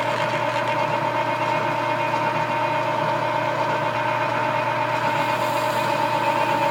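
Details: Machining spring perch sleeves on a machine with a dual belt drive through the gearbox: an even drone with a soft, irregular rubbing rasp when the tool takes a good bite, from worn belts needing repair, not tool chatter.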